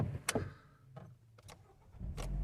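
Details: Toyota Auris after oil change for low, overdue oil that triggered the oil warning light: a few clicks and handling, then a quick crank that catches at once and settles into a smooth, even idle; oil light off, normal start.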